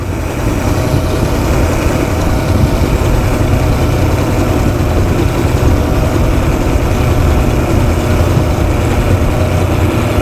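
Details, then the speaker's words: Four-stroke multi-carburettor outboard, top cylinder mixture screw being adjusted, then wound fully in until it nearly stalls: loud idle with a lumpy beat that worsens. Rough idle from incorrect mixture screw setting. "actually sounds like it's getting worse to me sometimes for confirmation as well you can just start winding it all the way in so you can hear that's quite bad now"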